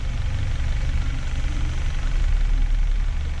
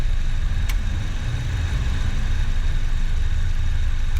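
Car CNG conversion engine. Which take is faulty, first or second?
second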